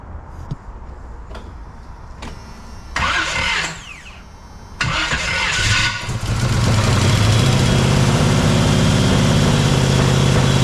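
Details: Jeep XJ with swapped 350 V8, first startup, distributor still loose: it cranks, catches and settles into a lumpy, uneven idle. It runs on only a couple of cylinders; number one is not firing, while the cylinders with compression work.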